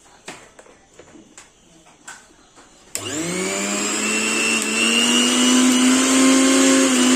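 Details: Mixer grinder after a bush change for a noise problem: a few light taps, then the motor spins up to an even high whine that climbs smoothly and holds steady, with no rattle or scraping; running normally.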